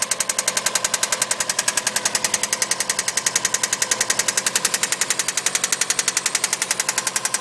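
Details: Subaru EJ20 boxer engine: sharp, evenly spaced metallic knocks, about four a second, steady throughout; source not yet pinned down.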